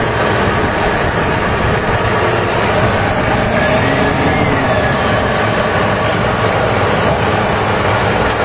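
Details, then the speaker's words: HB365 diesel with an EGR-type turbo at high idle, after repairing the turbo's severe rubbing/chirping noise: a steady, even roar with no scraping or chirping. The turbo now runs quietly and high idle is normal. "mainkan sekarang tes Nih setelah repair ya suara engjinnya bisa didengerin sendiri sudah tidak ada kendala lagi pada turbonya"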